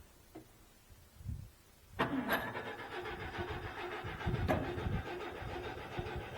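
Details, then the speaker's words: Owatonna 260 swather, first start of the season on a weaker battery: a brief crank, then it catches at once and settles into an even, steady run. "perfect see it once you running it runs great or fires up great just that side of the head"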